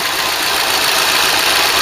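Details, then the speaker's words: Ford Cortina Mk3 with newly rebuilt 2.0 Pinto engine, running without an air cleaner: steady, even hissing roar with no misses or knocks, louder and airier with the intake open; normal idle. "it's not going to sound this quite as well for because we're not running an air cleaner on it"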